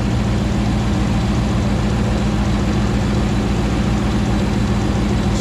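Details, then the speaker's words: Rebuilt 2009 Hemi 1500 V8 just after first start: deep, even burble holding a steady low pitch, no hunting or stumbling; smooth idle at about 87 psi oil pressure, no longer jerking. "nice and smooth it's coming down on an idle we're not seeing it jerk around like it was before so that's good he sounds nice and happy"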